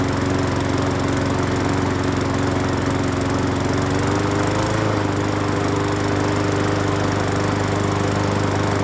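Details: Free Hyper Tough 20-inch push mower on first start after cleaning the carburetor and gas tank, with fresh gas and off-brand Seafoam treatment added. Even, steady drone with a small pitch shift midway, no misses or surging, not shaking. Normal running.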